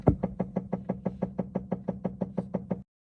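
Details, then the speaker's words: 2017 Tesla Model S 75, about 36,000 km: steady hollow knocking about three times a second while stationary, starting when the door opens and fading while driving, intermittent; suspected faulty iBooster brake booster. "the sound would start as soon as i opened the door it would disappear after a while when driving but it didn't happen every time i was going for a drive"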